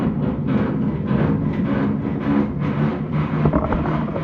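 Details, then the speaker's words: Fosdick radial drill, thought to be from the early 1940s, salvaged from scrap, retrofitted motor driving the gearbox through a coupling: loud steady drone with gear whir slowly coming up to speed; the motor sounds underpowered and owner thinks it needs a bigger one. "It takes it a minute. It needs a bigger motor. Alright, so this guy is loud."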